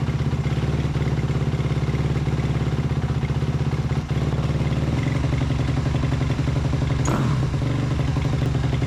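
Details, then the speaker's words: 2008 Suzuki RM-Z250 after a carburetor and engine rebuild, hard to start: slow, loping thump-thump idle with a sucking intake note through the carb; owner thinks the idle screw was not set high enough. "sometimes they're kind of a pain to get started right away, because turns out with this one, I think that I didn't have the idle screw up as high as it needed to be. You could definitely hear it sucking through the carb"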